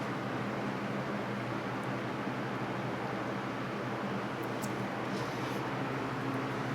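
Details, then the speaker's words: 1989 Lasko Galaxy box fan model 3723 on low after oiling its dry bearings. Steady, even airy whoosh with a faint smooth motor hum and no ticking or rubbing; running normally and quietly. "But as you can hear, It's nice and quiet. It runs real smooth now that it was oiled."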